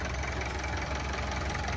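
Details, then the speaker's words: Kubota M9000SU tractor with a 90 hp turbo four-cylinder diesel and 8-speed transmission, moving off. No clunks on pull-away, runs smooth with no whine, very quiet; steady low rumble; normal running. "ออกตัวไม่มีกึ๊กกั๊กนะครับวิ่งนิ่มครับไม่หอนเลยนะครับเงียบมากครับ"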